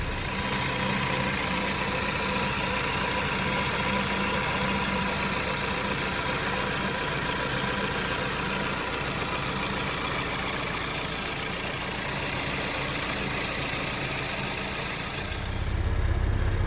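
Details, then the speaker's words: 2010 Jeep Patriot Sport 2.0 petrol engine idling smoothly and steadily with an even hum, no clanking from the belt drive, after the alternator, belt and pulleys were replaced (power steering pump replaced earlier didn't help); metal clanking noise gone, normal idle. "solved the noise went away now I have a new alternator I have a new belt and new pulleys"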